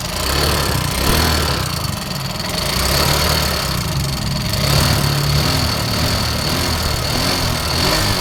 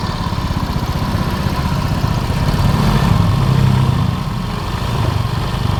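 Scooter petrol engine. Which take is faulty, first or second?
first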